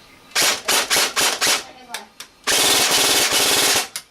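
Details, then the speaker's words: G&G AK-47 airsoft gun rewired with a home-built MOSFET, on an 11 V Thunder Power LiPo: quick full-auto bursts then a long steady string, a crisp high rate with no hesitation, sounding like the other 11 V battery; cycling normally. "That's still 11 volt. Sounds like the other 11 volt. So that's pretty cool."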